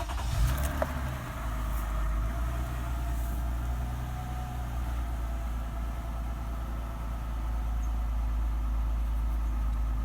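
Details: 2007 Toyota Sienna after fixing P0352 code by replacing ignition coil (used part) and Denso spark plug, code erased: steady low even rumble with no stumble or skipping, idling smoothly on all cylinders.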